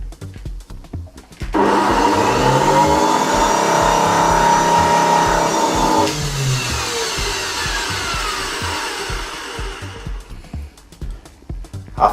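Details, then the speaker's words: Samsung SC4590 vacuum cleaner motor running: loud, rough high whine with wavering pitch that sags then winds down; carbon brushes ruled out as too long to wear, rotor judged gone, something really wrong with the motor. "After the sound, the rotor is gone. It's not a matter of, that graphite or carbon contacts, because they are very long, usually they are 5 centimeters or something, so it's almost impossible for those contacts to get ruined in a lifetime. But I can hear the sound of the motor. It's something really, really wrong there."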